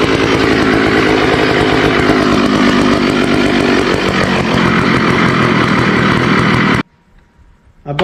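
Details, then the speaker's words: Early-1980s Poulan 3700 chainsaw, rebuilt after years not running: loud steady high-rev two-stroke scream held evenly, then cut off; pulls strong and sounds healthy. "I ran it with the chain on. The oiler's working good. Thing sounds good."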